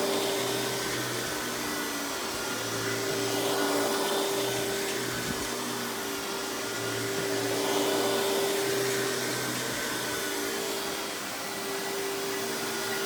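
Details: Hoover PowerMax Supreme 850 S3609 1990s canister vacuum, non-original hose, high speed with power brush: even high-pitched motor rush, steady whine, light brush flutter, no rattles or grinding; runs very smooth, not the quietest; normal running.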